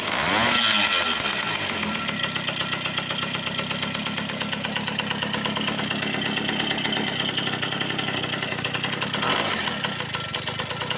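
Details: Soviet V50 moped two-stroke after full overhaul with a Dio piston: fires up quickly, settles into crisp, even buzz with clean revs and no knocks or rattles; engine runs perfectly.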